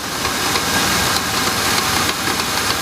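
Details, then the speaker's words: GMC Jimmy engine just started, before warming up and before an oil additive is added: hissy idle with light, uneven ticks; valve-train tapping suspected to be the hydraulic lifters, not confirmed. "вот только что я завел двигатель наверное вы сейчас можете слышать вот этот стук такой и неравномерную это вот системе газораспределительный механизм а стучат вот эти самые гидрокомпенсаторы скорее всего я надеюсь что это так"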